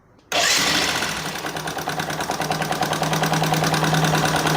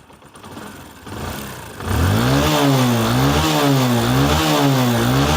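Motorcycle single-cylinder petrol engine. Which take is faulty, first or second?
first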